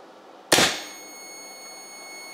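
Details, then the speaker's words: Shunt trip breaker on a DIY powerwall Batrium battery-protection system trips when a monitor communication cable is unplugged: sharp snap as the breaker goes from red to yellow, then a steady high-pitched alarm beep; cannot be reset on until fault clears. "it tripped as you can see the breaker went from red to yellow and you can hear the annoying beeping"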